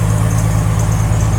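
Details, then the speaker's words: Jeep Wrangler 4.2L with Comp cam, new Motorcraft 2150 carburetor and timing corrected, cold start after two pumps: deep even pulsing idle slightly high while cold, no lope or excessive smoke, some belt squeal; normal cold idle. "So it is idling a little bit high because it's cold. There's no heat in it. But unbelievable difference."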